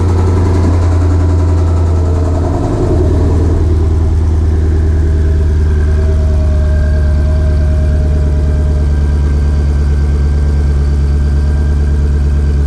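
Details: 2020 Shelby GT500 Mustang V8, just fitted with a Whipple 3.8 supercharger, idling as it warms toward operating temperature after the install: steady, even low rumble with a faint blower whine on top and no knocks or ticks. Normal, healthy idle.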